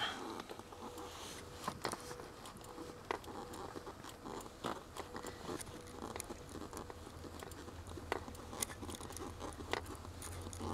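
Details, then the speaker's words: Lada Granta liftback clutch pedal after WD-40 lubrication, which cured a rusty-spring-like squeak and grind after pressing: strokes now give only soft light clicks from the mechanism and no squeak. "по сравнению с тем что было просто идеально работает педаль сцепления слышен небольшой щелчок но я думаю это никуда уже не денется там видно какой-то механизм просто клацает но скрипа никакого нет"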